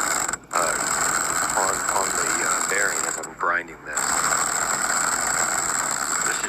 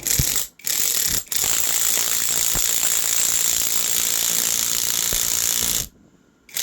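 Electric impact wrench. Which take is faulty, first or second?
first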